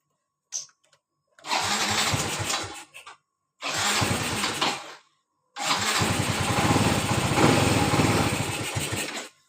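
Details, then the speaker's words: Yamaha Mio Z 125 scooter that won't hold idle and dies at low throttle; engine catches in three short bursts then dies each time, idle air passage found very black, dirty throttle body to be cleaned, engine stalls at idle. "Tuh, langsung mati ya motor ya. Jadi kendalanya motor gampang mati nih."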